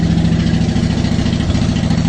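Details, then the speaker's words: Honda Shadow Phantom V-twin after replacing trashed fuel injectors (16450-MFE-641): strong even idle, steady loping beat, no more up-and-down hunting, no misses or ticks; sounds much better, normal idle. "Would you just listen to it? It sounds so mean. It sounds so much better."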